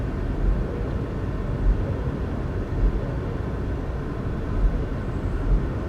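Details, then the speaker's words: Salvage-auction Saturn, revved from the driver's seat: a deep, steady engine roar with no rattles or ticks, and no smoke. It sounds healthy. "Yeah, no smoke, no rattling."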